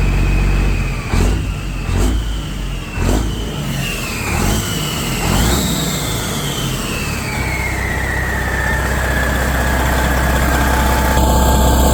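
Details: 1994 Kenworth T600 with 12.7L Detroit Series 60 diesel after replacing exhaust manifold gaskets and bolts: cranks, catches and revs briefly with a rising then fading turbo whistle, then settles to a steady even idle with no ticking.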